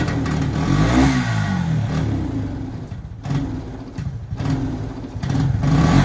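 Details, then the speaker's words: Suzuki Quad Runner 250 quad bike: engine picks up when blipped, then stumbles and sags instead of holding revs, repeatedly; bogging under throttle from a failed rectifier overcharging, mimicking a blocked jet or faulty coil. "Now obviously you would have heard that. Go to rev it, and it breaks down. Revs for a little bit sometimes, and then breaks down."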